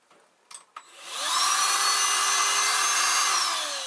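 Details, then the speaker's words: Dyson DC16 Animal handheld battery vacuum on a 3D-printed hoover extension pipe: steady high whoosh with thin motor whine but no brush roll drone; suction works but powered brush won't turn, no power reaches the head through the adapter. "now it does suck even without Bush Tennessee the Bush won't turn and I'll show you this"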